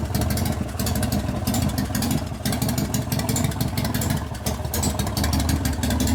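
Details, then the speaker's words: 1988 Harley FXR after a lifter noise repair, pushrod adjustment and cam change. It has a loping V-twin idle with an even beat and no valve tapping from the top end, so the lifters are now quiet. "all right here I'm coming I'm not hearing valve noise that's a good sign [Music] I don't hear no tapping noise"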